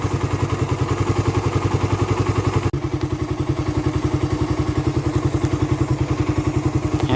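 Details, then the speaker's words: Raider 150 carburetor motorcycle, hot engine idling: steady single-cylinder thump with light clatter from the head, quiet when cold; owner suspects compression release or tensioner, source unconfirmed. Top-end ticking. "kasi bakit ganon pagka malamig tahimik naman siya kapagka uminit na siya yung maiinit na talaga siya ayan kumakalas na siya ng ganyan"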